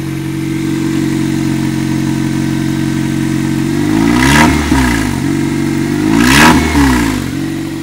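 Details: 1998 Toyota Corolla: noise began climbing a hill at about 50 km/h and 3500–4000 rpm and persisted even off throttle: loud rough drone at idle swelling with two quick revs, harsh throughout; cause unknown.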